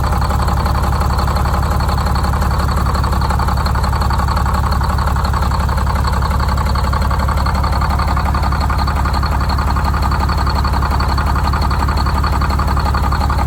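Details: Detroit Diesel 6-71 two-stroke, first start after new 4-valve head and Davco 382 fuel filter install, valve cover off so not revved: steady, even idle with regular low beat of about two pulses a second, no misses or knocks; normal idle.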